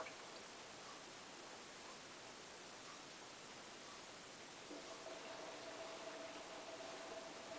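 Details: Hotpoint Ultima WT960 washing machine starting a cottons 60 °C test wash with a 7 kg load: soft, steady hiss of water filling with a faint tone joining partway; normal fill at cycle start.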